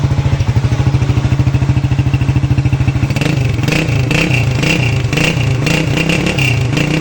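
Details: CG150 single-cylinder pushrod motorcycle after repair: new camshaft and both gears replaced, wear blamed on neglected or poor oil. It thumps along evenly at idle, then picks up with a few blips, with no cam clatter left.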